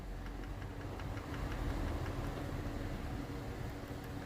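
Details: 2009 Honda CR-V petrol engine idling with a faint, quick, regular ticking heard close to the valvetrain: some valves have excessive clearance and others are sticking.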